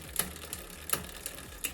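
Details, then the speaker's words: Bicycle rear derailleur adjustment, pedaling in the third-smallest cog (gear 10): sharp metallic ticks about three times a second as the chain rubs the next larger cog from excessive cable tension. "então eu criei esse barulho da corrente raspando na marcha número 10 nesse caso aqui que seria a terceira menor"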